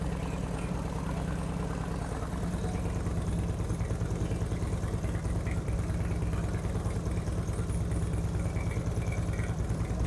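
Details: 2008 Harley-Davidson Street Glide with Screamin' Eagle 255 cams, second startup after readjusting pushrod: deep steady loping thump about two beats a second, no ticking or clatter; revs crisper, no abnormal noises.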